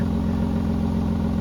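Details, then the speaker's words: 1986 Ford F350 6.9 IDI diesel at idle after exhaust welding: rapid puffing tick keeping pace with firing, exhaust still leaking; owner suspects unchecked spots around the welded hanger or a missed weld. "so we gave it our best um I'm thinking I didn't double check all the spots uh around that welded hanger uh or maybe I missed a spot welding but it's pretty significant"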